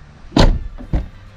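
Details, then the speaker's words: Kia Carnival diesel, front left door closing: two short, deep, solid thuds with no rattle or tinny bang, which is the proper sound. A harsh bang would suggest worn damping. Normal door close. "pintu kiri depan, suaranya harus jelem gitu ya. Kalau jedar artinya mungkin peredamnya juga udah nggak bagus."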